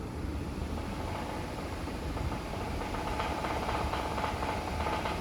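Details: 2018 Acura TLX V6 A-Spec at about 110k, premium fuel and dealer synthetic oil changes, revved: deep knock under the engine noise that sharpens with revs; rod knock that began after an oil change, covered by recall, engine replaced.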